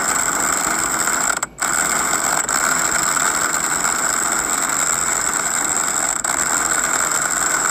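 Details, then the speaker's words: Temu One Van 1200 W impact wrench, rated 700 Nm, pressing on a wheel hub bearing: fast, even, harsh metallic hammering that never lets up, sounding labored, as if about to break; seems to be straining under load. "That sounded like struggling to me and it sound like it was about to break. I was worried it was going to break it."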